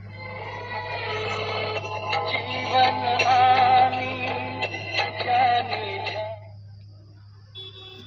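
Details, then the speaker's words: Universal home theatre with TDA2030 IC bass circuit: music thin with no low end, only steady low hum, treble playing on both sides; bass channel dead. "Base बिल्कुल भी नहीं आ रहा है केवल humming आ रही है और table हमारा दोनों साइड बज रहा है"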